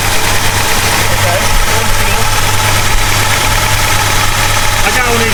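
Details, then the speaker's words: 1969 Plymouth Road Runner 440 V8, first start after 20+ years sitting, on jack stands, heard from inside the car: deep, steady, even low rumble with no knocks or misses; normal cold idle. "Oh, yeah. She's idling."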